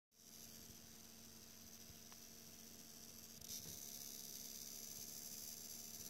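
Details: Faint steady high-pitched electrical whine over low hum, stepping up partway; coil whine from HDPlex power supply feeding only the 8-pin R9 Nano in a Core i7 6700K system, unstable in demanding games.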